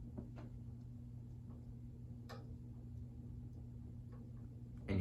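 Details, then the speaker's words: Emerson Casablanca Classic ceiling fan from around 1981, restored; low steady motor hum with light, uneven ticks about once a second. Owner suspects the flywheel was not put on properly, unconfirmed: ticking noise. "hear the flywheel and stuff making some noise and again that's because i don't think i put it on properly"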